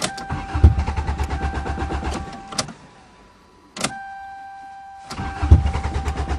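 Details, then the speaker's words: 2009 Toyota cold start; steady starter churn in bursts with pauses, engine never catches and no fuel pump sound heard; owner suspects a stuck fuel pump; cranks, no start. "doing the same thing as last [Music] year I can't hear the fuel pump probably is a stuck fuel [Music] pump yeah I bet"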